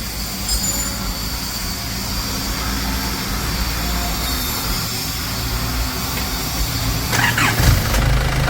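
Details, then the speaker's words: Isuzu TFR Dragon diesel, test of the injection pump rear fuel-cut solenoid: clatters into life and settles to a steady, even idle. "นี้ติดเครื่องเรียบร้อยนะครับเดี๋ยวเราลองดับเครื่องดูนะครับว่าเป็นยังไงมั่ง"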